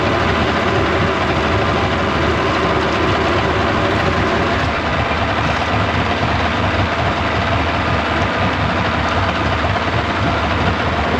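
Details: 1995 Yamaha 75hp two-stroke outboard in a test tub after water pump replacement, warming up: steady, even smooth drone with no knocks or misses; normal idle.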